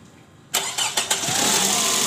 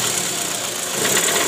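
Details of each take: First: 2008 Toyota Previa at 186,000 km, which had a rough "krrr" engine sound in D and R, after replacing the worn, loose balancer shaft and its bearings: brief cranking, then a smooth, even idle with no rough shake or knock. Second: 2008 Toyota Previa GL 2.4, 186,000 km, rough "krrr" engine noise with AC on and in D or R: harsh, rattly, coarse uneven idle. Balancer shaft found worn and loose after removal.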